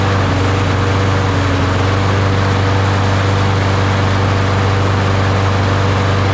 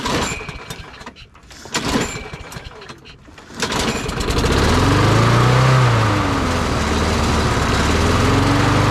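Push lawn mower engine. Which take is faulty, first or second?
first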